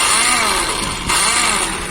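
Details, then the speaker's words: Hero Pleasure scooter won't start: high whirring spin rising and falling without the engine catching, starter not engaging. Starter motor looks intact, but gear condition is unknown; cause suspected, not confirmed. "Evet Evet arkadaşlar yine bir Bero nerede oturuyorsun burada bir marş sorunu var Sesi duyuyorsunuz"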